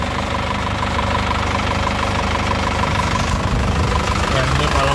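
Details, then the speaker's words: 2014 Isuzu Panther LS Turbo diesel at idle: steady, even, crisp clatter with no shaking, misses, hunting or odd knocks, no blow-by or smoke. Normal diesel idle. "getarannya stabil, tidak goyang, tidak pincang ya. Suaranya juga renyah khas penter ya. Jadi mobilnya memang sehat."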